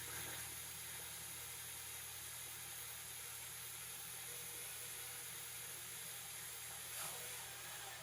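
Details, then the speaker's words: 1969 Ford Mustang engine with intake and oil pan installed, oil pump primed counterclockwise by drill with a gauge attached: steady, unbroken whir with no grinding or catching, pressure reaching 40 then 50 psi and oil coming out the rockers; normal priming. "Oh, we're building pressure. 40 psi. Oh, I can hear it. Yep, we're coming out the rockers. 50 psi."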